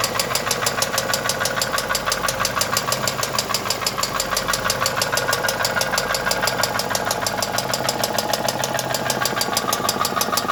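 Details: Mercedes M111 2.2 engine: sharp, even ticking knock about three per second over the running engine without letup; internal mechanical knock suspected, not confirmed.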